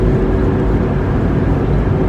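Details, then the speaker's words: 1998 Ford Expedition at speed: steady, low, even light roar from the driver's side front, no knock or click, louder the faster it goes; spinning noise from a worn front wheel hub assembly, which is replaced. "I can tell by the way that the roaring noise is that it's something that is spinning. It's not something clanking"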